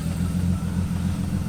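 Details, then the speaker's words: Rough, lumpy idle stumbling on one beat, a hard single-cylinder miss with only a misfire code stored; coil packs and plugs already replaced, owner suspects the injector or a dead cylinder. "So we have a hard miss. So at least that's the only code. So it only has one code. It's misfire code. I mean, it's misfiring."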